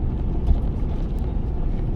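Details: 65-year-old original American Standard oil furnace with new Carlin EZ-1 burner; low steady roar, no whistle or whine, pump has settled after being noisy at first start, hopefully just a hard spot from sitting on a shelf about 5 years.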